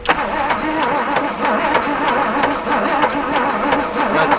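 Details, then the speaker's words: 1959 Buick 364 Nailhead V8, first start attempt since the early 1970s after priming the carb and spraying the choke: the starter cranks slowly and unevenly with light knocking and won't catch; no spark found. "slow are you on start on your thing making a lot of kind of light knocking sounds"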